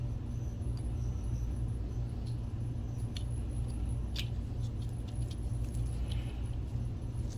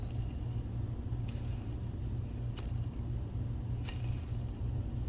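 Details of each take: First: NEC NP-PE401H DLP projector, BFB0612H 12 V blower fan fitted with the good bearings after the old bearings proved noisy: soft steady low hum, no grinding, far quieter than before. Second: NEC NP-PE401H DLP projector cooling fan (BFB0612H, 12 V) old bearings: low rough grumbling rumble with light clicks; worn fan bearings, cause of intermittent fan lock warning, replaced and much quieter.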